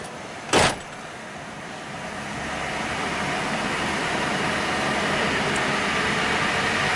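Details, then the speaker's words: Truck with one front wheel raised and spun in gear: a short clunk, then a smooth, steady whir from the right front; quieter, healthy bearing, so the humming bearing is the left front (hum worse turning right). "quieter so the yep the left front that's my uh that's my call"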